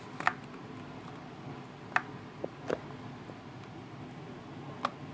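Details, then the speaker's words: New 2015 MacBook Pro tilted gently side to side gives scattered light ticks a few seconds apart, fairly loud, as a loose part slides around inside the case. "so as you can hear there's clearly something moving around inside of the laptop you don't need to kind of shove it to one end just lightly tilt it from one side to the other"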